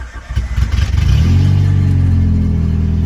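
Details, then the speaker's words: Prelude started with the EGR valve unplugged/removed ahead of an EGR delete: catches after a short crank and settles into a smooth, even idle with a steady low hum and no miss or knock. It idles and revs fine. "Okay, so you can see it's idling fine and it revs fine, so that's good."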